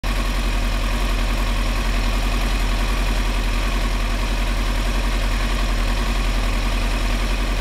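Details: 2003 Yamaha R6, 35,000 miles, Yoshimura exhaust, BMC filter, idle set 1350: uneven, loping V-twin-like idle with random rpm jumps, worst at 2-3k rpm; cause was failing ignition coils.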